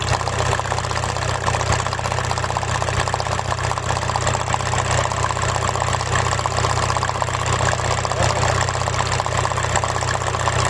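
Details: Rough idle with codes P1666 and P0301 (cylinder 1 misfire, electrical error): uneven lumpy idle, irregular low thump about twice a second over engine drone, engine shaking; single-cylinder misfire suspected.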